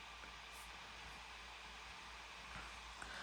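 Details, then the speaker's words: 16-inch MacBook Pro, i9, 32GB RAM, with only Final Cut Pro open before a 700MB export: a steady, even, airy whoosh from the cooling fan with no rattle, tick or tone, so the fan is running normally. "You can already hear my MacBook Pro, the i9. It is ready to take off or something."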